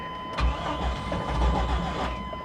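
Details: 1991 Lexus LS400 at auction, listed as a non-runner: the starter churns a couple of seconds with uneven surges but never catches. Crank no start; it later ran with throttle held, with rod knock heard.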